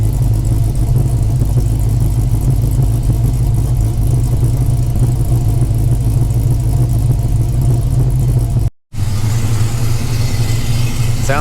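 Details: 5.7L Gen III Hemi V8 in a Dodge Challenger at idle after installing a Texas Speed high-lift cam, Holley Sniper fabricated intake, MSD ignition and new valve covers: deep, steady, lumpy low rumble, no knocks or ticks; running fine.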